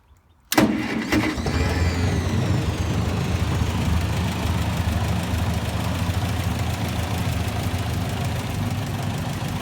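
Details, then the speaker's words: 1958 Massey Ferguson 50 tractor, 4-cylinder gas engine, with a new fuel bowl and filter. Quick crank, catches straight away, then settles into a steady even low idle with no knocks or misses; it sounds healthy. "She starts up real nice. Starts up real nice. There you go."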